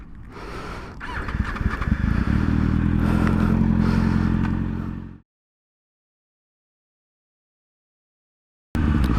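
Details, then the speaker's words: Rebuilt crashed 2012 Kawasaki ZX-6R (600), ride after the rebuild: smooth, clean revs climb and fall evenly without knocking or rattle, then a pause before picking up again; the engine is healthy. "Sounds good, feels good. Man, I love this thing. For a 600, this isn't bad at all."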